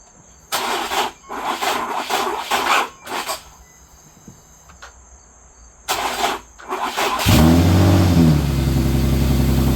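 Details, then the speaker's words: Infiniti G37 AWD with good battery and good starter voltage: several short, labored cranking bursts with pauses, then a slow crank before it fires and revs; weak starter motor dragging the engine. "They're both the same, and it's just cranking really slow, like slow. And sometimes it won't even start. It'll be like, and it stops. So pretty sure it's a starter."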